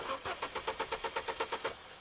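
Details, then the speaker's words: 2010 Vauxhall Meriva B 1.4 XER with intermittent no-start, old coil pack refitted and an amp clamp on the scope: steady cranking at about eight compression pulses a second that never catches. Coil draws no current, so it is a faulty coil or a missing trigger. "But that conclusively reveals if it doesn't draw any current, it's either faulty coil or it's not getting triggered."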